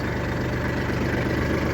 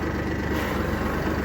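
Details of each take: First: Kubota tractor with hydrostatic transmission after adjusting the HST safety switch for a no-start: steady, even diesel idle with a smooth low beat, no knocks or misses, then settles quieter; normal idle. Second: Kubota tractor with hydrostatic transmission, parking brake set during neutral/safety switch linkage adjustment: steady diesel idle under constant strained whine of hydraulics pushing against parking brake; hydrostatic transmission whine against parking brake.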